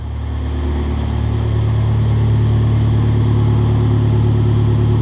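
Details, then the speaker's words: Abarth Punto Evo sold at auction as a non-runner, sat since April, had seemed to lack compression while cranking: now runs with a loud, deep, steady exhaust drone, even beat, no knocks or misses; healthy running. "Oh my, oh my. It sounds really good, to be fair. It's quite loud, but it does sound good."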